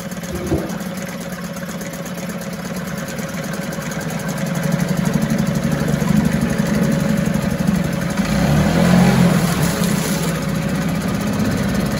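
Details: 1974 Mercury 4 hp single-cylinder two-stroke outboard in a test tank: even buzz rising briefly with throttle then settling, smooth steady firing; runs like a top.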